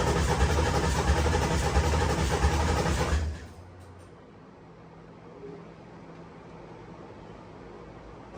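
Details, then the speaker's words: Ford Coyote V8 swapped into a Fox body Mustang, first start attempt: about three seconds of steady cranking that stops without firing; crank no start, owner suspects a fuel line left disconnected. "so I may have left one of the fuel lines the fact that the motor's turning over that I'm happy about"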